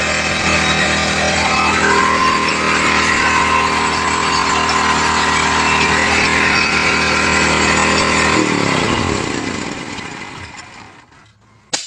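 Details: Small gasoline generator engine that had refused to start runs with a steady, even buzz for about eight seconds after carburetor work and reassembly, then winds down smoothly; runs normally.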